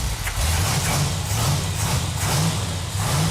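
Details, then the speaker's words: 1969½ Dodge Super Bee, numbers-matching 440 Six Pack (three two-barrel carbs), 4-speed, 4.10 Dana, after fixing fuel-line and carburetor leaks: deep, uneven V8 burble with light throttle blips, firing steadily with no misses or knocks; runs well. "it feels really good to hear that engine run yeah feels good that that engine sounds so good"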